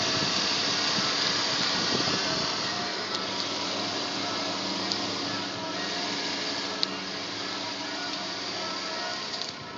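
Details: BMW E46 320i M54 after oil pump replacement: even, steady idle hum with no rattle or tapping anymore; normal healthy idle.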